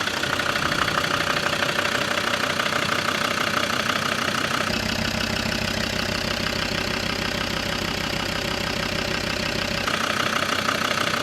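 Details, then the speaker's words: Land Rover Defender Td5 110 with GTB450 turbo on reconditioned 15P injectors, on the dyno: hard, rattly idle clatter about three knocks a second, noisier and more tractor-like than before; rough diesel idle from recon injectors. "a little bit more tractor than it was beforehand."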